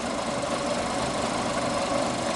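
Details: 2012 Fiat Uno Fire after repair for heavy fuel use, misfiring and timing problems, warm at 94°C, battery 13.4 V, intake air 33°C, throttle 1° open: steady, even idle with no stumble, misfire or surging; normal idle.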